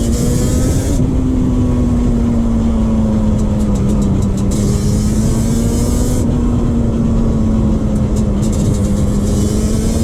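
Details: 2001 Yamaha Banshee 350 two-stroke cruising on a POV ride with early shifts, after new clamps fixed an exhaust leak. Crisp, raspy drone rises and falls with throttle, no puffing or ticking from the pipes; normal, sealed exhaust note.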